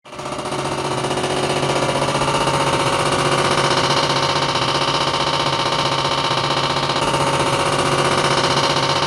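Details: Older R22 air conditioner outdoor unit with a rapid, steady clatter of about four knocks a second plus vibration; possibly refrigerant overcharge, though the owner first suspected low gas pressure.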